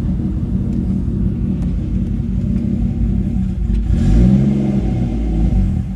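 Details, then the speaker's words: Mercedes W203 with M104 turbo engine, after cleaning dirty fuel injectors that caused rough running and hard cold starts, fuel pressure good: steady, even low rumble with no misses. Smooth idle; injectors were the fix. "that sounds a lot better so smooth [Music] oh yes running so much smoother"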